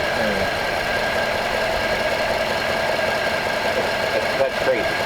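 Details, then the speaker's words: 1939 Ford convertible sedan flathead V8 (barn find), just running after a distributor fix, idling right off the choke: a steady, even idle hum with no misses or stumbles, a normal idle. "listen to that thing like straight away that's nut right off the choke I had it that's incredibly"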